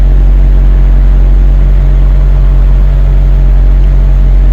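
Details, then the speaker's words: BMW 740Li V8 at idle with P0300 multiple-cylinder misfire code, recorded at the exhaust after new correctly gapped spark plugs were fitted while the ignition coils are suspected non-genuine: loose, uneven puffing pulse about four a second; abnormal exhaust puffing at idle. "머플러 소리를 보면 펑펑펑펑 하잖아요. 이게 지금 비정상이라는 뜻이에요."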